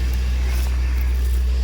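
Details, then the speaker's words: 2004 Land Rover Discovery 2 after replacing belt drive pulleys and tensioner (previously horrible flapping): low steady idle hum with no knocks, rattles, roughness or vibration; normal idle. "Oh, that sounds loads. curing like a kitten. Oh yeah, we came back from the tire store and that thing was making a ruckus. Not noticing any vibrations or anything of that nature."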